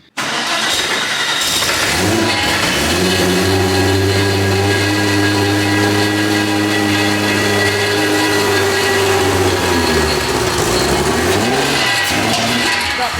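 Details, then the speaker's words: RWB Porsche 964 Turbo with a new 600+ hp air-cooled engine, first start on a generic base map: fires and settles to a fast idle with a harsh metallic rasp, something vicious inside, clearing with clutch in; mechanical noise in gear. "definitely sounds like something's tingling here something sounds very vicious inside"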